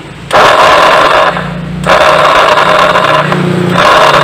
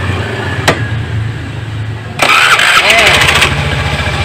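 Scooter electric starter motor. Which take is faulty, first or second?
first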